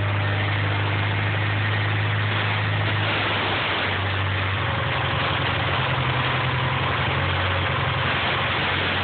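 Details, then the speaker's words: DSM with a boost system, idling while carb cleaner is sprayed around the intake: the low hum wavers as idle reacts. A big vacuum leak from an improperly sealed intake manifold. "Pretty big vacuum leak, don't you think?"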